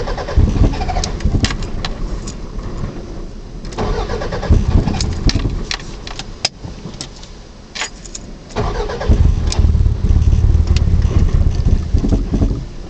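Repeated bursts of starter cranking with pauses between attempts, and the engine never fires up; it cranks but won't start.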